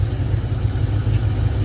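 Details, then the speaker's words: Blue box Chevy at idle after fuel injector trash problems and a new fuel filter; low, uneven, chopping idle that stumbles; owner suspects fuel pump not pushing enough or dirty injectors, not confirmed. "yeah she chopping them but that could be the fuel pump though it could maybe not pushing out enough"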